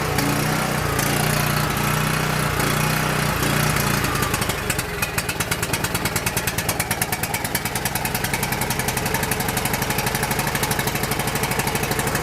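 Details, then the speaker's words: Coleman PowerMate 6560 generator with rebuilt carburetor, half then full choke: runs roughly, surging, then a rapid popping beat about three per second; suspected carburetor gasket or throttle bushing air leak. "Just like we suspected, something wrong with that gasket on the carburetor or bushing on the carburetor throttle."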